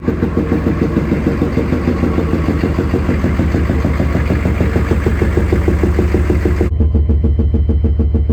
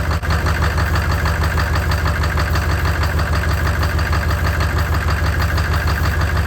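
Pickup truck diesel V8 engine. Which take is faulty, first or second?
first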